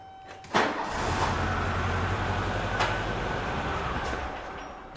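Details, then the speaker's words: 1976 VW Beetle with factory fuel injection, hot no-start: fuel pump primed manually from the battery, engine cranks, catches and runs about a second on the primed fuel, then dies because the pump gets no power; the double relay behind the rear seat is suspected. "And then if I crank it, it'll run for like a second and then it doesn't run anymore."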